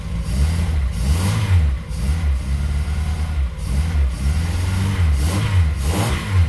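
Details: The engine revs up and drops back to an idle that stumbles now and then, run without coolant; a slight misfire, owner suspects timing off or over-choking from choke wired on too much, not confirmed.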